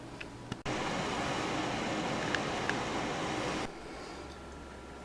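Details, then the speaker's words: Desktop PC after motherboard replacement with hard drive and DVD drive reconnected: fans spin up to a smooth, even whoosh with the drive cranking up, no clicks, rattles or grinding; computer powers on normally. "i'm going to turn it on one more time and i hear the drive cranking up and everything so looks like it's good"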